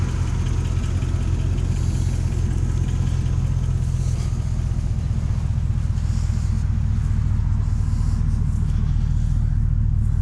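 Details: 2004 Chevrolet 2500HD with the 6.0 gas V8 at 195,000 miles, said to have good oil pressure: a deep, even idle rumble with no knocks, ticks or stumbles. A normal, healthy idle.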